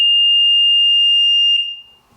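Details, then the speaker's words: Sea-Doo GTX DI 951 on diagnostic software: loud continuous high-pitched beep about a second and a half; MAG throttle position sensor reading jumps when wires wiggled, messed-up connector with a rusty pin, to be pulled and cleaned. "That connector's messed up. So I got to pull it out, clean it, see if that gets rid of it. But that's definitely what's going on."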